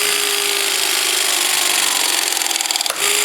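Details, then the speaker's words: REMS electric crimping tool with TH16 head crimping a Nicoll Fluxo multilayer pipe press fitting: steady motor whine under load, then a sharp click marking the crimp fully closed; normal crimp completion. "lorsqu'on entend le petit clac, c'est que notre sertissage est fait."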